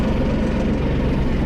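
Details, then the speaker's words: Massey Ferguson 4610, Sisu three-cylinder turbo diesel, after engine repair for an EGR cooler leak that put coolant in the oil: a steady deep drone at full rpm, even and smooth with no knocks or ticks. Normal running. "sounds good powers there we're full rpm no other noises just want to make sure there's no leaks"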